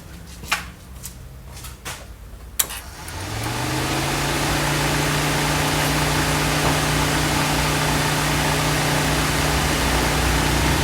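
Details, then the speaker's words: Mitsubishi Lancer with overheating, new radiator fitted, cooling fan wiring taped up after testing: a few clicks, then the fan spools to a steady even whoosh with low hum, no rattle or scrape; fan works; control module suspected. "and it still works so now what are we going to do about this"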